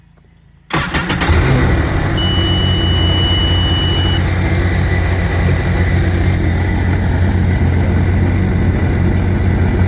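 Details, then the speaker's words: Cursed RXT after coolant-in-crankcase leak repair and oil change: engine catches right away on cold oil and settles into a steady, even idle with no knocks or misses, oil pressure 33, a little over 40 with RPM. "Looking good. All right, so we got cold oil in there, but we're running at 33."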